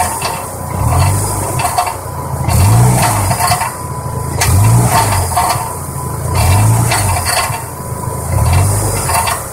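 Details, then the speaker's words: Car exhaust, engine revved while parked: metallic rattle like a loose bolt inside the pipe as revs drop; catalytic converter core broken up into pieces, later found hollowed out. "so if you listen you'll hear a rattle on the down R just sounds like a bolt like this kind of like inside the exhaust or inside a pipe you know it sounds like that rattling around"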